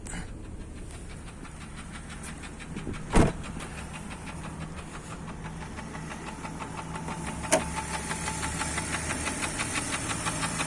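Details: Jeep Grand Cherokee Laredo 4.0 inline-six (AMC 242), fully warm, idling: steady rapid light knock in time with the engine, started with winter cold, hard cold starts needing 5+ seconds cranking; piston slap from cracked piston skirts.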